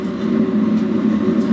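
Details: DIY waste-oil burner from old steel water tank, central heating boiler fan, 12 V diaphragm pump and timer relay: steady even roar at full firing, no pulsing, popping or sputtering; clean burn with no chimney smoke.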